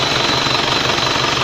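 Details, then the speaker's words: Isuzu Panther Royale diesel, idling after a 24-hour trip with a dry engine and a likely wrong 0.9 radiator cap (1.1 is standard): a steady, even clatter with no misses, knocks or smoke, healthy and normal. "Nah ini ya, walaupun habis dipakai perjalanan 24 jam tidak ada asap yang keluar, ini menandakan mesin ini sehat, tidak mogok, tidak ada asap yang keluar, berarti sehat normal."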